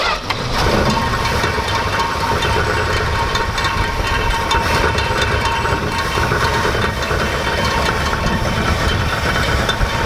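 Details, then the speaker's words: Dodge Aspen, 90,000 miles on odometer, first run after 17 years abandoned: steady running engine at idle with a dry, uneven rattle from the cooling fan rubbing against a fuel line. "just in case you were wondering what that rattling sound was that was actually the fan rubbing against some fuel line right there"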